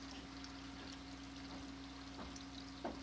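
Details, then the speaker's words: Indoor aquaponics bell siphon made from PVC and duct tape: steady low hum with trickling and gurgling as the siphon kicks in and slowly drains the grow bed, working normally. "so let's see starting to go a little bit oh there we go kick it off you can see the top here draining down slowly"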